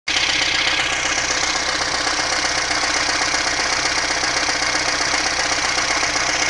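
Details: VAZ 2110 with a 1.5 8-valve engine at idle: a quick, uneven ticking knock about two to three times a second over a hissy idle. Source unknown; the owner asks what it is.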